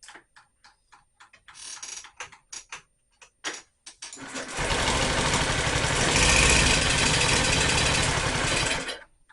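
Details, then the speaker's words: Honda Metropolitan scooter after its fuel system and carb were cleaned: several seconds of steady, fast cranking without firing. The spark plug was found only finger-tight, and spark was confirmed; whether fuel reaches the carb is suspected, not confirmed. "okay it's turning over it's not trying is getting fuel to the carb"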